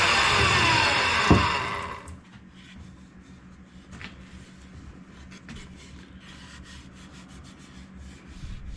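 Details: Wood planer after replacing its drive sprocket, with old blades (new set planned) and a slight gouge remaining in the board: about two seconds of steady hissing cut as the board feeds, then it quiets to a soft run. Normal planer cut.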